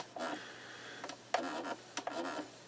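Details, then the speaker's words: 1970s Sony TC-238 8-track recorder engaging pause: short bursts of rough whirring with sharp clicks as pause engages and releases; harsh mechanism noise, cause unclear, sounds like it's going to break. "Okay, pause. That sounds like it's going to break."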